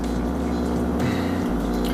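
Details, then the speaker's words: RODI aquarium water system just after the pump is switched back on, with an airline running into the container and vibrating: steady low buzzing hum with soft bubbling, even and unchanging; normal running. "the noise you hear I just turn back on the pump and that is my"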